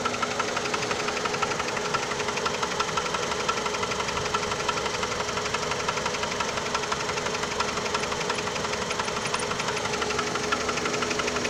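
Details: 2002 PT Cruiser petrol engine idles with a steady, regular knocking, about three knocks a second; owner asks what the knocking is, cause unknown.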